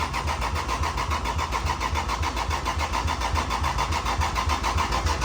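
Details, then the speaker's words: Lexus IS300 with freshly installed engine, fuel pump primed: even cranking about three to four turns a second that never catches; immobilizer (EWS V2) suspected of blocking start. "it's turning over by the key, which is 6, so now we just got to figure out why the hell it's not firing yet. EWS V2."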